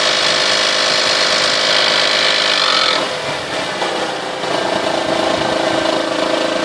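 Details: 1998 Toyota Sienna that runs great: harsh raspy rattle over the exhaust note when revving from 2000 to 4000 rpm, changing as revs drop, seeming stronger from the manifold and beneath; cause unknown.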